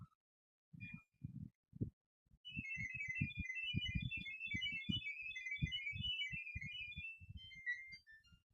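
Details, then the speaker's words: LG air conditioner Smart Diagnosis, triggered by holding the remote's room temperature button 5 seconds, tone heard by the LG app: rapid chirping run of high, shifting electronic data tones for several seconds; the app shows all checks ticked, no faults. "ఒత్తి పట్టుకున్నాక sound వస్తుంది, ఆ sound వినిపించాలా. ఇవన్నీ tick ఉన్నాయి."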